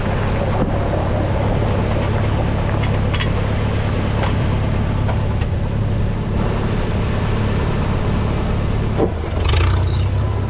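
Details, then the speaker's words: 1952 Farmall Super C tractor after distributor work (rotor prong bent up; owner unsure if stuck mechanical advance caused the miss): steady, even four-cylinder rumble with constant beat, no misses or stumbles, running smoothly. "I'm happy that it's finally fixed and running well so I'm going to start it up and let you guys hear it"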